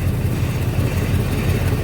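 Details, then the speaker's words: Probably 2002 Chevy Silverado with a replacement engine, on a lift: low steady growl with a rough pulsing hum under the engine noise, cause unknown. The customer reported grinding when shifting into gear, and a brake is metal to metal. "but yeah I don't know what was creating that growling noise"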